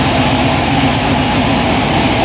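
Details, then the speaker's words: Third-gen Camaro IROC-Z V8 at startup: lumpy idle with steady raspy puffing over the rumble; exhaust leak audible, possibly near the manifold. "Except for that exhaust leak that I can hear."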